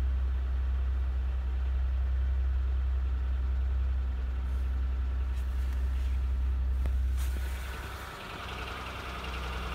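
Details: 2004 Honda Accord EX V6 petrol on cold start, oil-burning with severe engine wear: heavy low rumble and hollow, diesel-like knock at idle from piston slap.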